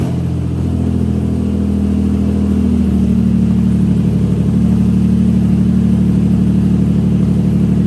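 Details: Nissan 350Z drift car with a replacement engine, started with the fuel pump fuse back in after the first fire-up: loud, steady, deep note settling into an even lumpy idle, no knocks or misses; runs normally.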